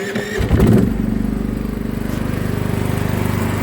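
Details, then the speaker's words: KS 4000iEG S dual-fuel inverter generator running on LPG (gas priority), started by button: short crank, quick catch, smooth even putter at no-load idle before 60% (about 2 kW) load is added; normal start and idle. "Generator pracuje w tej chwili na biegu jałowym. Nie ma jeszcze obciążenia. Za chwilę dorzucę mu 60%."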